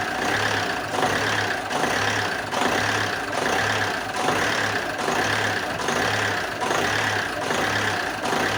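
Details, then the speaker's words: Alfa Romeo 156 1.9 JTD early common-rail diesel, previously crank no-start: idle swells and sags about 74 times a minute, hunting and rough; low fuel pressure oscillated half a bar, believed due to voltage oscillation; unconfirmed. "the variation that you saw when the car when the engine was idling badly I believe it is because of the oscillation of the voltage that's why the the pressure is was also oscillating"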